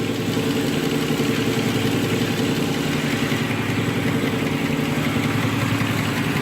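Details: Nissan Murano V6 idling with uneven lumpy beat and periodic stumble; code P0303 cylinder 3 (rear bank) misfire from low compression, found via relative compression test.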